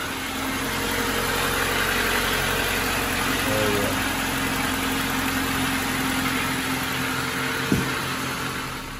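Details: 1995 Honda Civic just after a Megan Racing header and downpipe install, stock exhaust otherwise, before warm-up: smooth, steady idle with an even pulse of about 220 a minute, quieter, no ticking or puffing from the front; front exhaust leak fixed.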